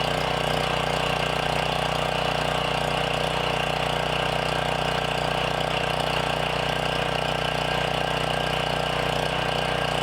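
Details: Briggs & Stratton generator after sitting 6+ years, with replacement carburetor, custom air filter, tune-up and throttle adjusted for 122 volts: even, steady small-engine run with regular firing beat, no stumbling or hunting; normal running.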